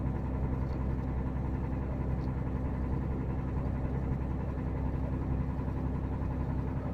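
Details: VDL Berkhof bus with DAF diesel idling with a dull, uneven knock about twice a second over the engine rumble; owner unsure whether rod knock or piston slap, cause not confirmed.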